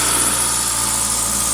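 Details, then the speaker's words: 2000 Toyota Celica GTS, 2ZZ engine, warm at 90°C coolant, throttle cable disconnected: steady raised idle at 1800 RPM with a busy hum, apparently from extra air; idle air control valve later cleaned and adjusted. "okay we're now up to operating temperature and you can see the engine is revving pretty high"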